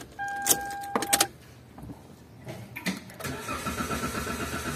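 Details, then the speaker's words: 2018 Toyota Avanza crank no start: dash chime, key clicks, starter churns steadily but never catches; immobilizer issue from swapping keys, fixed by using the original key and refitted original sensor. "Okay Tingan niyo to issue nito dahil sa papalit-palit na susi"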